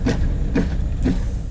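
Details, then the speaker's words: 2018 Camaro SS 1LE fitted with base 18-inch Camaro wheels; three rhythmic scuffing rubs about half a second apart while turning at full lock, the tire catching the plastic front brake cooling duct. "all right we're back in the garage now we're gonna take the wheel off and see what is making that horrible sound"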